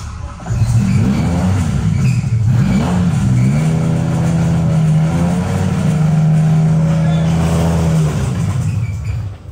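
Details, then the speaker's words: BMW M5 E60 V10 with a bought refurbished engine, idling after earlier power-steering pump noise was addressed: steady low droning hum, an entirely new noise that stops when the engine is shut off; owner fears the engine has failed. "that's actually not very good I think we fried the engine well not we fried the engine I think the engine is just said bye-bye to us"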